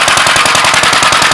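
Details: Gravely L single-cylinder just after its Wico magneto timing was set, piston at TDC on compression and the coupler mark aligned to the dots. Crisp, even pops about ten a second with no misses: normal running.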